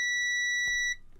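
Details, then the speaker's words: Multimeter continuity test on an egg boiler with a broken blue wire and faulty switch: clean steady high beep for just under a second with probes touching, then cuts off; continuity check works. "so if we put yeah okay we put one Probe on there and then the other one on the end there it's like when you're going shopping it kind sounds like that it does a bit when you're scanning your food yeah it does it sounds exactly like that"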